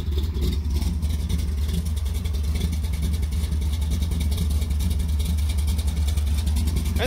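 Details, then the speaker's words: 1973 Plymouth Satellite Sebring Plus, 451 stroker big block V8, cold start with 50 lb oil pressure: deep, steady, even rumble with no misses or knocks; smooth normal idle. "oh it is great to have this one back and running again oil pressure's good and she is just running"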